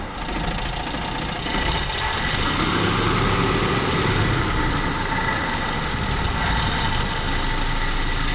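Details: 1987 Mazda B2200 two-wheel-drive pickup with 5-speed, cold frosty-morning start after carb work: rough, uneven idle with loose knocking beat that sags and dies shortly after starting; suspected cold-start high idle/choke not closing fully, not confirmed.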